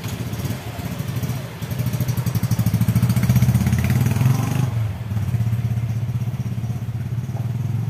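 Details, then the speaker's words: Yamaha Bison motorcycle that stumbled, backfired and blew black smoke; after the carburetor air screw was turned fully in the backfiring stopped though it sounded rich. Steady single-cylinder putter around four beats a second, settling after a blip, no misses: idle fine, riding still poor. "kalau stasioner sudah oke tapi kalau buat lari masih belum"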